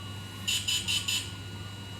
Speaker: เวลาไม่นานครับอัเดแบตเตอรี่ไม่เกิน2-3นาทีก็เสร็จนะฮะก็จะมีเสียงตีติดๆตีติดๆนะฮะ